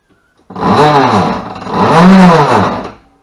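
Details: EZGO golf cart, rear end, two throttle presses: a loud whirring growl that rises and falls with motor speed, sounding torn up. The cart will not move; a blown brake hub is suspected but not confirmed.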